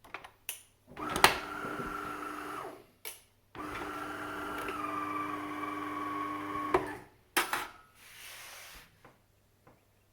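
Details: De'Longhi Caffè Corso ESAM2800 after pump replacement: steady buzzing hum as the vibratory pump runs normally and pushes water, then clicks and handling; before, it buzzed loudly without pumping.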